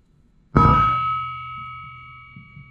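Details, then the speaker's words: Forged Chrysler 440 crankshaft, thought cracked by feel, dropped on the ground: dull thud then clear bell-like ring lasting two seconds; crank rings, so not cracked and sound. "can you hear that after the thug there was a ring this crank rings all right"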